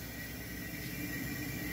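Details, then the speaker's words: GE duplex refrigerator compressor during refrigerant gas charge (target 10 psi running): constant low hum with faint steady high tone, no knocking or rattle; sound changes as gas enters, compressor running normally. "and since there is a little gas in the equipment, you can immediately hear the difference in the sound of the engine and, as I say, we are going to start to feel that begins to connect since it has gas"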